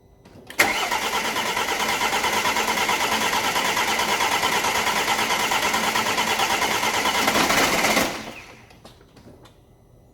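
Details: Alfa Romeo Giulietta diesel after water pump failure repair and rebuild, oil checked, first start: catches at once and settles into a steady even clatter for about seven seconds; starts and runs normally.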